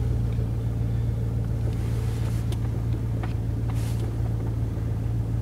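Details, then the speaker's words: Old John Deere with front sweeper, cold start at minus three degrees C: deep, steady rumble idling evenly at roughly 900 rpm with no hunting; usually it idles down after a while, and the owner suspects a vacuum issue or the cold. "i think if there's a vacuum like or something to do it right away you know seems to be idling fine there but 900"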